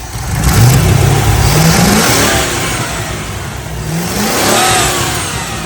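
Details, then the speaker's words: MGB GT with Rover V8, idling around 600–605 rpm after ignition timing was set with a strobe timing light; two clean throttle blips rise and fall smoothly with no popping, hesitation or pinging, a healthy V8 note. "fait quand même un très joli bruit."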